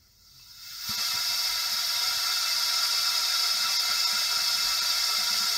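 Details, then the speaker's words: Honda ST1100 Pan European on a cylinder leak-down test through a homemade spark-plug-hole adapter: a steady airy hiss of air leaking past the rings into the crankcase, seemingly louder than on the previous cylinder, as the gauge pressure drops and then stagnates. "le bruit m'a l'air d'être un petit peu plus important que le dernier cylindre que je viens de faire"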